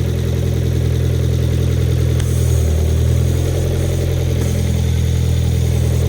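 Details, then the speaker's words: 2.0 turbo Hyundai Genesis Coupe first start after engine replacement, before alternator, compressor and belt fitted: steady, even low idle, smooth, no knocks or misses; normal idle, a vacuum leak noted. "It sounds good. I'm so hyped."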